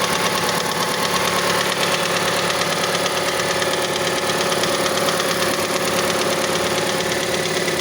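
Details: Mazda CX-5 engine cold idle: fast, regular light tapping about three per second over the hum, until about 70 degrees; cause unknown, valve timing mechanism suspected.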